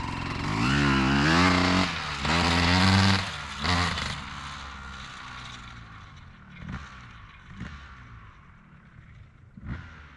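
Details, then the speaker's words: 2003 Honda CR250R two-stroke dirt bike after idle adjustment: climbs briefly then sags in fading bursts, sounds loaded up, won't pull to high revs; owner suspects carb needs going through and re-jetting. "Seems like it's uh loaded up pretty good. Doesn't really want to get into the um high RPMs."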